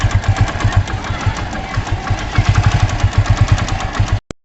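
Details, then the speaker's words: Motorcycle before servicing, owner complaining of poor mileage: rapid, uneven knocking taps ride over a low, chugging single-cylinder beat from the engine; servicing then done. "देखा कि आपने देखा कि engine में से कैसे cut की आवाज आ रही है"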